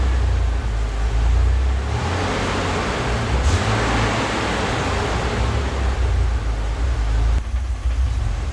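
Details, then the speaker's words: Ford Bronco II 2.9 V6 idling around 850 rpm: deep rumble that surges and sags unevenly with hiccups; owner suspects failing fuel pump, earlier thought power steering load; rough idle, cause unconfirmed. "okay so I thought that was power steering related me putting a load on the engine but it's idling around 850 maybe a little bit High U which is where the manual says it should be"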